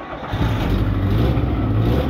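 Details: Chevrolet Vitara starting after fitting a second-hand replacement fuel pump: engine catches and settles into a steady, deep low rumble that swells as it revs, smooth and even; runs healthy, normal engine running.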